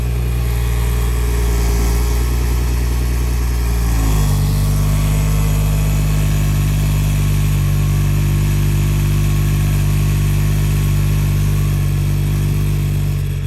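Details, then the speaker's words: BMW 340i with Gen 1 B58 engine at cold idle, hesitating on start, possibly without letting oil pressure build; idle drops and settles with a faint tinny buzz over the low hum, an exhaust rattle. "So there we go, 340i. Everybody like 340i exhaust rattle."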